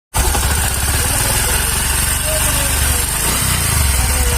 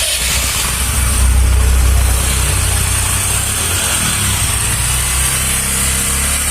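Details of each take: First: Bajaj Discover 125: single-cylinder idle with a light, quick ticking from the top end that keeps pace with engine speed; valve tappet noise. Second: Bajaj Discover 125 single-cylinder after repair of engine bad sound traced to damaged cylinder head valve seat guides, with silencer refitted: steady, even idle with no top-end tapping or clatter, just a smooth regular putter; sound now fine.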